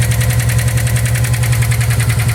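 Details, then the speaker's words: Subaru WRX running with a heavy rapid rhythmic knock through a deep idle rumble; it sounded like rod knock but turned out to be a bent valve. "It just kind of ran, had a rod knock. Actually wound up being a bent valve."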